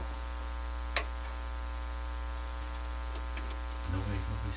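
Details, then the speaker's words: Hammarlund SP-600 communications receiver after replacing burned C108, C109 and R44, powered at only 63 volts: steady low mains hum with nothing received through the speaker; not working from underpowered supply. "Volume up over here on my soundboard. Bit of a hum. Volume up here."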